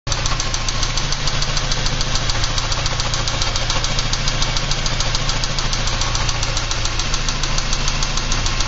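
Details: 1986 Porsche 944 Turbo idling with sharp, fast, steady ticking at about three to four per second; owner unsure whether it is lifter noise or rod knock.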